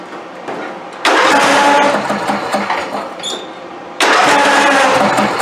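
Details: Craftsman YT4000 hydrostatic riding mower, years without oil changes or maintenance, boosted dead battery: two crank-and-catch bursts running rough a few seconds, hard starting, needs full choke every restart; owner suspects the carburetor idle jet.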